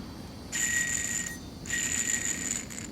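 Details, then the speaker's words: Removed tensioner pulley from a 1995 Ford Crown Victoria LX, hand-spun with no belt tension, gives a high ringing whir with gritty hiss and rough feel, unlike smooth idler: worn tensioner pulley bearing. "you can hear the ball bearings now that there's no load on it no tension on it and it feels very rough"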